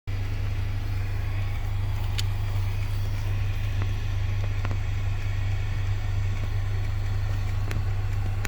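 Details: Sparse irregular clicks and light clatter over a low hum under the dash of a 2018 Honda Accord Touring during climate control operation and adjustment; failing blend door actuator, later replaced under warranty.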